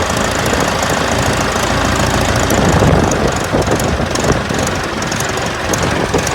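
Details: Ford 4040 industrial diesel tractor, first start after injector rebuild (all four installed, valves lashed cold), started with ether on a cool day: uneven clatter at about three and a half beats a second, missing and stumbling from air still in the fuel lines.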